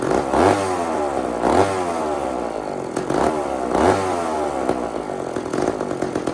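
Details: Old chainsaw (possibly 2399 or 2899 B10) on a slight prime: bursts into revs about once a second then sags, never settling to idle. Erratic running; low-speed jet needs more fuel.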